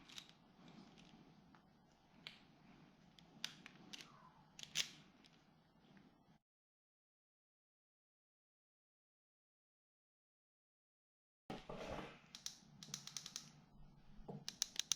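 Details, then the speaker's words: Husqvarna FS450 that died on the track, fuel injector bench-tested with an EFI tester: quick sharp ticks in runs as each voltage pulse fires it; injector cycling normally, fully functional. "okay so you can hear that the injector is cycling when it gets voltage let's do this okay that is one fully functional fuel injector there"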